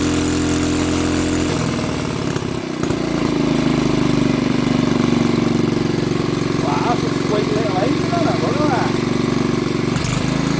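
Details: Old BSA 50cc single-cylinder engine, first start after years sitting under a bench: catches and settles into a steady, buzzy run, even beat, no misses; running properly.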